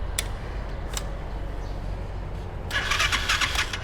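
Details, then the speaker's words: Used 200cc motorized three-wheeler (Thai samlor) started by hand: it starts easily and settles into an even, low, steady beat with no misses or clatter, running smoothly. Normal running. "ฟังเสียงเครื่องครับสตาร์ทมือติดง่ายครับเครื่องนิ่ม"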